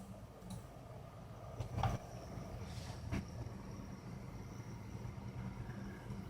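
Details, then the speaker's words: Opened PC power supply under test with its fan on: a steady low electrical buzz over fan rumble from a vibrating inductor coil, coil whine, which is to be fixed with hot glue or neutral silicone. "this is testing of a PSU unit which I open now for coil wine and I will show you now some cool one coil buzzing here"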